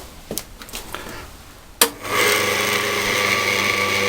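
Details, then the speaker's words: Scheppach DMS 900 lathe after pulley and bearing replacement: a thump, then the motor spins up to a steady, smooth, near-whisper hum without the former scream; the bearings sound healthy. "all right well the first thing I noticed is that it's so much quieter than it was before it used to stream and I can assume that that's the bearings you know now it's super almost whispered quiet"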